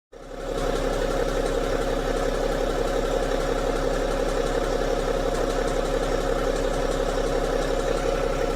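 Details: BMW 530d diesel engine idling steadily, with a fast, light ticking running through the engine note.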